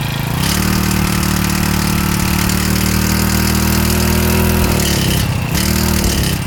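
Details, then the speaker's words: Stihl FS65-4 four-stroke strimmer after repair from oil overfill: fires and holds even high-pitched run, dips briefly and recovers, still smoking/steaming off leftover oil; exhaust to be removed and checked clear. "Right folks, so there we have I mean, you can see it's steaming there. I'm gonna have to take that exhaust off and just make sure it's clear."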